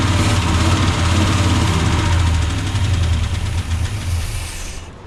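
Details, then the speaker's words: 1976 Chevrolet C30 dually, freshly swapped Gen 6 454 big block with hydraulic roller cam, first starts: lumpy uneven rumble that sags and fades, won't hold idle; lifters seem ticky, oil pressure 60+ psi, carb suspected. "Okay, so on the bright side, it does start. Lifters seem a little bit ticky. Might just need to get warmed up, get some oil pressure."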